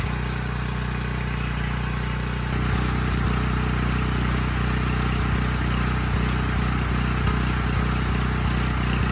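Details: Briggs Vanguard on a Powermate 5000 W generator, running with no load: speed won't settle, dipping and recovering every second or so. It clears under load and mostly with choke. Adjustment didn't help; owner suspects a clogged pilot jet starving it of fuel.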